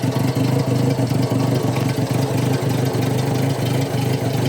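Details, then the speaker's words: Rough, uneven idle with stumbling and dropped pulses on a Subaru Sambar KS4 imported from Japan, after a no-start; coil, distributor, fuel pump and carb checked good, but the cylinder 2 spark plug is cracked and the plugs fouled, needing new plugs. "but with that crack spark plug in number two we definitely need to put a set of spark plugs in it before diagnosing any further"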